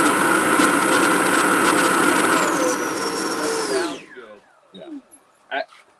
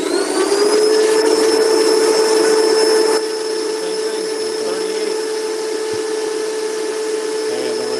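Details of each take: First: 80mm EDF ducted fan's first full-throttle run on amp-reading test with a high-C 6000mAh pack: smooth steady high-pitched whine, then even wind-down as throttle drops; fan and motor sound healthy. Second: 80mm electric ducted fan run from an unbalanced battery pack starting at half throttle: steady high fan whine loses strength after a few seconds, then climbs only partway on more throttle; weak battery causing power sag.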